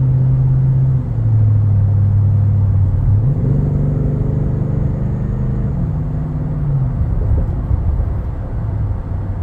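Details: Toyota Tundra with aftermarket cat-back exhaust: cut stock muffler, sketchy-welded aftermarket muffler, resonator delete. Deep loud droning hum under steady driving swells and booms through the cab, nonstop; before restoring factory parts.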